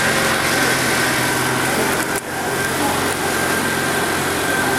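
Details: Ford Lynx, previously crank-no-start with no fuel pump power or injector trigger, traced to the crank sensor giving no signal: after repair, starts and holds a steady even idle with no misses or stumbles; running normally.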